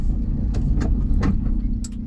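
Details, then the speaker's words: VW T25 camper van fitted with second-hand Porsche 944 driveshafts to cure clicking, driven through a tight bend on a warm day after slight initial knocking: steady road and engine drone, no rhythmic clicking or knocking; no CV joint knock. "I'd be definitely getting knocking there and there isn't any so like we might be onto a winner folks"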